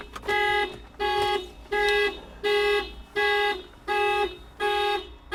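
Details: Mitsubishi Outlander with many problems (battery dies monthly, key fob not working): steady bright high-tone alarm bursts about 83 a minute, evenly spaced; alarm keeps going off, cause unknown.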